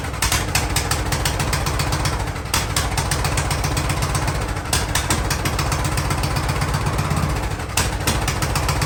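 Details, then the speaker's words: Free Ariens riding lawnmower, sat at least two years, revived indoors: small single-cylinder keeps a steady, rapid chugging beat at fairly constant speed; running again. "all right i think she's gonna run oh"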